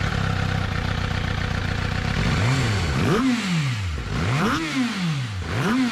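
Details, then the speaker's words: 2006 Suzuki GSX-R750 with rough running, after its injectors were cleaned and tested, throttle bodies cleaned, and plugs and coils checked: short, uneven idle, then several quick blips that rise and fall cleanly with the throttle; revs freely and sounds healthy. "now I've got it all back together and I'm gonna fire it up and it works"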